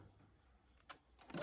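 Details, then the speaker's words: 2018 Yamaha Kodiak 450 after fuel pump replacement, key turned on to prime: a few faint clicks then a short even electric whir as the new pump primes the system; normal fuel pump priming. "And all that it means is you're just going to turn it on. You'll hear everything priming up."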